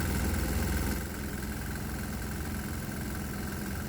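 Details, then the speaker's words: 196cc 3hp single-cylinder diesel with methanol-water vapor plus a shot of propane: rapid, sharp knocking about three and a half per second over a low thump. It makes more power, but the combustion knock gets louder. "Oh yeah, it likes the propane, even though it's causing the engine to knock even louder."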